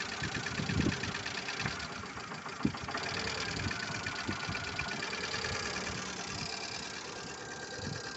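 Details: Lada Largus 1.6 engine at idle: fast, light ticking from the top of the engine keeping pace with engine speed; hydraulic lifters knocking.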